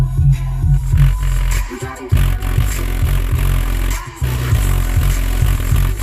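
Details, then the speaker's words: 2000 GMC Jimmy SLE factory front dash speakers playing bass-heavy music: rough, rattling buzz on the beats, blown speaker distortion; rear speakers are fine. "now here comes the fun part I'm going to go fade this up up to the front so you can hear how blown up these front ones"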